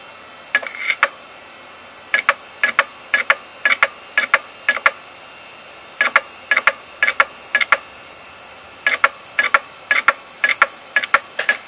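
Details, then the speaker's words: Old 1990s Western Digital hard drive during a seek test: sharp, harsh clicking in bursts of four to six with pauses, sounding awful, yet the drive completed the seek test and may still work. "wow that sounded really really really horrible um amazingly after doing all that nonsense it actually completed the seek test so it might still work but holy cow did that sound awful"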